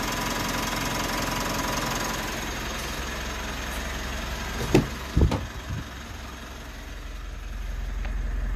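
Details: 3rd-gen Mitsubishi Montero/Pajero Sport diesel started after about two months sitting in quarantine; battery reads 14.1, key fob battery low. Steady, even low diesel clatter at idle with a few brief clunks midway, no knock or misfire: normal diesel idle.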